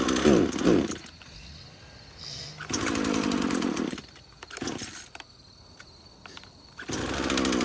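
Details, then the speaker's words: Craftsman chainsaw first start after about five years sitting in a shed: surges and sags between bursts and fades toward stalling; poor fuel pickup though primer bulb has fuel, cause not found, runs only on choke. "we got a little farther that time with it okay so it only wants to run with the choke on"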